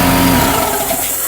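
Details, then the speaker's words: EcoFlow Delta 2 Max in X-Boost mode already loaded near 3000 W, 1000 W air compressor (about 3000 W startup surge) switched on: low motor hum surges about one second then cuts out as the AC inverter shuts down on overload. "If I add that additional 1000 watts of this compressor, it should shut down the AC inverter."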